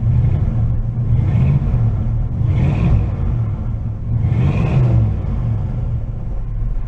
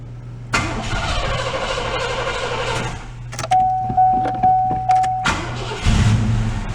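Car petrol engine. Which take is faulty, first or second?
first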